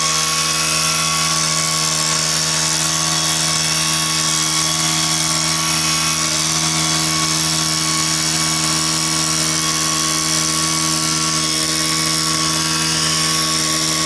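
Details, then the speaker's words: Stihl KM130 two-stroke after a repair for a leak problem, run at full throttle blowing dust. It gives a high, steady scream, revs holding even the whole run with no surging or misfire, and picks up well to high: normal full-throttle run. "listen to her see what you think sounds pretty good I think"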